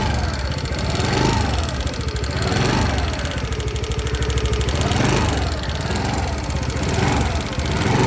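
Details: New 2024 TVS Jupiter 110 E20 scooter, noisier than previous vehicle: engine rises and falls with throttle, busy mechanical clatter over the hum, louder than it should be; excessive engine noise, cause unclear.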